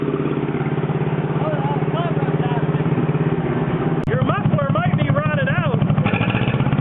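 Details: John Deere 420 Crawler two-cylinder tractor running at low idle while charging the battery, showing 7 volts; steady, even putt-putt with no misses or knocks; water temperature gauge working; runs normally.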